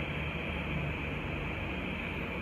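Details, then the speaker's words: New CNC Q2 short tattoo pen, first run on a wireless power supply at 7.5, no needle cartridge fitted: soft, steady, even hum at constant pitch, no noise. Normal running. "siya stressful, di ba? Smooth. Napaka-smooth guys. Diba? Sobrang Diba? Sobrang ganda na ito. seven point five ah. Walang ingay."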